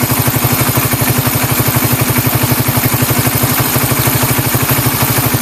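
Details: Engine idling from a cold start after a tensioner reset/adjustment: even, quick idle pulses about four per second. The earlier tick-tick sound is gone and there is no clatter; the valvetrain is quiet.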